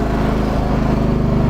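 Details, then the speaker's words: 1997 John Deere 325 plowing snow: engine pulses unevenly and labours under load, sagging toward a stall though fuel isn't frozen; owner blames a fuel filter needing replacement. "This is why I gotta get that fuel filter replaced. You can hear that this tractor's kind of stalling out."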